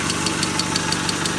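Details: Mazda 626 FS engine after reinstalling IAC and throttle body: sharp metallic tick about six per second over steady idle; ticking valve knock at idle, later found 50% leakdown in cylinder 3 from bad exhaust valve, head possibly hitting valve.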